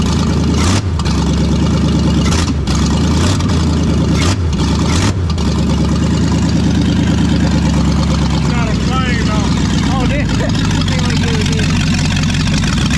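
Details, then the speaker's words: Brand-new V8 in a project car, second start after first fire, open stainless headers, no O2 sensors or exhaust: catches quickly, loud lumpy but steady idle, no knocks or misses; normal idle. "No O2s, y'all. It's, yeah. It ain't gonna idle long, but Sweet."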